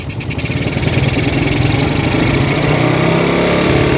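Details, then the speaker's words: Yamaha Vega RR motorcycle that often stalls and was previously taken apart without fixing it: rapid light ticking (kemletek) at low revs that disappears at high throttle. Source not yet found. "ketika dia itu digas tinggi dia itu keleteknya hilang ya ketika digas tinggi keleteknya hilang ya"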